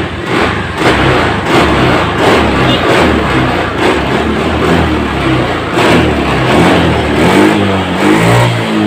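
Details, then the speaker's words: Honda Scoopy FI scooter after repair of a bad stutter and lack of power. Quick throttle blips now pull cleanly and responsively like new, and total pressure is measured as very strong. "nah disini motornya saat kita gas pun sudah mulai responsible atau sudah spontan seperti awalnya ya"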